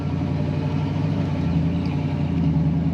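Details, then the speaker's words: 1965 Ford Mustang convertible, rebuilt 289 V8 with mild cam, Edelbrock 4-barrel, newer exhaust, C4 automatic, on a road drive: an even, low V8 exhaust burble over road noise; healthy, with a nice exhaust note. "You can hear that rumble. This car has a nice exhaust sound."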